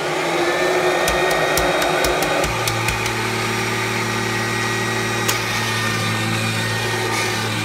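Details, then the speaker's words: 1997 Kirby G5 upright vacuum with a metal fan sent by a Kirby collector, run with no dirt: switch clicks, then a steady even motor hum and fan whoosh; owner says it sounds like a vintage 500-series Kirby; normal running. "this car be here sounds like a vintage 500 series Kirby left that fan so that's pretty cool"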